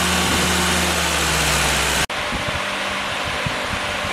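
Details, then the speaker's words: Willys F-134 F-head four-cylinder, fresh rebuild (NOS tappets and timing gears, new pistons, bearings, valves) on engine stand, first start-up; brief even idle hum under cooling-fan whoosh; normal idle. "guys fired right up I took a second to set the timing 5° before top deed Center"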